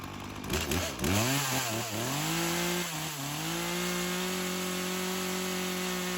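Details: Craftsman chainsaw that sat for years, rerun days later after cool-down: a few quick revs, then steady even idle held without hunting or dying. Carb acting more natural; tip test shows no head gasket or crank seal leak; chain doesn't move at idle.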